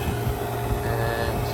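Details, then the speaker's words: HVAC vacuum pump evacuating a ductless mini-split line set, gas ballast switched from open to closed (closed needed below about 1500 microns): sound changes markedly to a steady even drone with low hum, no knocks or surging; normal. "And one thing I just remembered is close the gas ballast on the back of the pump. This is open and this is closed. You hear it makes a way different sound."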